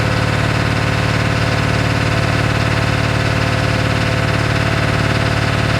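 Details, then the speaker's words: 1997 Ford F-250 XL 7.3L PowerStroke turbo diesel at 65 degrees just after hard cold start: loud low diesel clatter, pulsing lumpy idle, truck vibrating and shaking heavily; rough idle attributed to bad injectors. "One thing, you can lose weight having this truck because it vibrates and shakes so much, it shake all that fat ass off of you."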